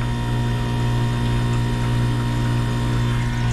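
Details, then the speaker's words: Manitowoc commercial ice machine running in its freeze cycle after a service call for a dead touch pad and no ice; steady compressor hum with water trickling, display says making ice; suspected water-damaged control board; normal compressor running. "you can hear the compressor running it says it's making ice"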